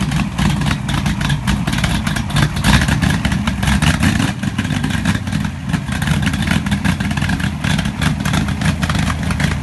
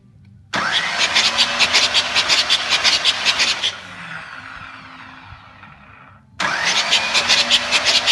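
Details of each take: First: Pontiac 400 V8 in a T37 after a valve readjustment, primed after running out of fuel: strong rumble with quick throttle blips that rise and settle cleanly, no ticking or misfire; rings not yet seated, so some smoke is expected. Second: Newly built Pontiac 400 engine in a T37 project, bumped over at first start to bleed the lifters before checking valve lash: fast choppy cranking with a thin high whistle that fades as it spins down, with oil coming out; whistle source not pinned down.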